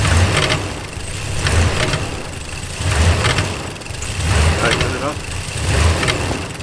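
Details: Dodge Ram 1500 on a morning cold start: revs rise and sag in a slow cycle under 1.5 seconds and never hold steady. The cause is unknown.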